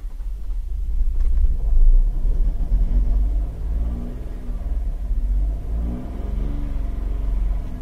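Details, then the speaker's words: Holden Captiva V6, towed in cranking but not starting, held at raised revs to keep it running: lumpy, uneven rumble, with misfire codes on cylinders 2, 4 and 6, so one bank is dead. "if you kept it at a certain rev range you could get this vehicle to run although very badly you could get it to run and continuously run"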